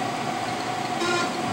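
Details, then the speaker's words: Novakon Torus Pro CNC mill Y-axis with travel limit screws removed: steady high buzz with no travel as the stepper motor fights the machined hard stop; stepper stalling against hard stop, then backed off about 1/16 inch. "And you hear that little buzz? That was it fighting it. So I backed it up just a little bit."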